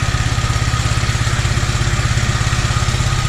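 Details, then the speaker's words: Toro 2CV twin ticks over evenly at idle after reconnecting the battery, in January, with no misses or knocks; owner suspects the carburettor primary choke is not working off idle. "Isn't that nice, eh? Doesn't that tick over and sound nice?"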